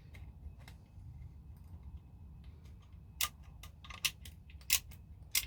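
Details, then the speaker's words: ASG Scorpion Evo airsoft gearbox during rebuild: a handful of sharp, crisp ticks as the gear is turned by hand, showing the anti-reversal latch catching the bevel gear; working normally, nothing binding. "So to do that, we're just going to turn our gear and you can hear it clicking. That means it's catching the bevel gear, which is good."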